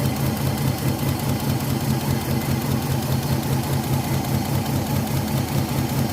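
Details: Older Nissan Maxima idling: deep uneven lumpy idle loping two to three times a second, two coils getting no trigger signal.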